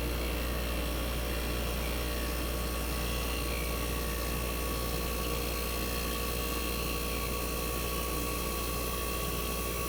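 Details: 1965 Fedders Weather Wheel air conditioner just after cold start in a very cold shop: steady even low hum, constant tones, no knocks or rattles; compressor smooth and very quiet at almost 59 revolutions per second, head pressure starting to build.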